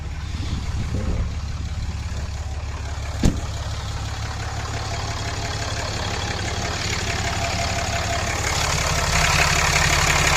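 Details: 2014 Ram Cummins diesel after aftermarket VGT turbo actuator replacement, warming at about 150 degrees with low coolant chime: steady, even clatter, no misses or knocks, settling smoothly; healthy idle.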